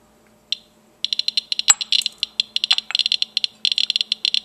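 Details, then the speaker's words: Geiger counter probe touching Vaseline glass, whose radioactivity is mostly alpha: silence, then sharp dry clicks pouring out in fast irregular bursts; readings can be quite high, so one should be careful eating off it. "the readings can be quite high as beautiful as vaseline glass is one should be careful eating off of it"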